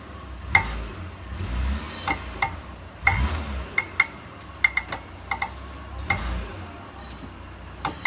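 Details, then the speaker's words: Mitsubishi Pajero shifted between drive and reverse: sharp metallic knocks and clunks, single and in quick pairs, from the rear axle. "Okay, here's the sound which everyone is complaining while they put the car in reverse or D drive."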